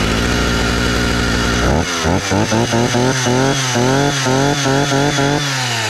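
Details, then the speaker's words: 60-year-old Husqvarna 65 chainsaw, first real start after carburetor and fuel line repair: rough clattering start settling into a ragged high rev with uneven rattle; the flywheel had shattered. "Something launched out from somewhere oh my - this doesn’t sound good at all"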